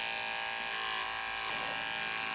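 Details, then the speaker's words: Andis Pulse dog clipper with freshly sharpened Elite 9 blade: steady even high-pitched buzz, no catching or labouring; clipper running normally after sharpening. "Oh, it's working, does it? We've got the 9 working, the Elite 9."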